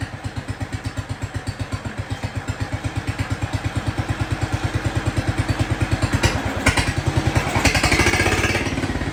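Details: Jacobsen Chief 1200 tractor, cast-iron Kohler 301 single, after sitting about 3 years; aftermarket Chinese carburetor adjusted. Steady, even idle thump that gains a little speed toward the end, with no misses or stumbles. Normal idle.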